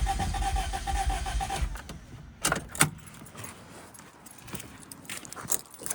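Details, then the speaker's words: Toyota Celica after head gasket and timing belt job: starter spins the engine in even beats for under two seconds without firing, then keys rattle; crank no start from incorrect ignition timing. "It didn't sound too bad, to be honest. Like, hope that all I need to do is fix up timing. I really hope that's all it is."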